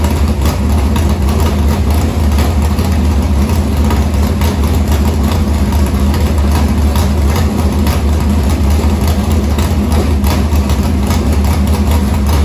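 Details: Harris race car's Morgan Machine-built open V8 (speaker thinks ~358 ci) with EQ heads, likely Edelbrock Victor Jr two-barrel intake and 85 carburetor, started after fuel line was reconnected; loud, deep, even lope, no knocks or misses, normal idle.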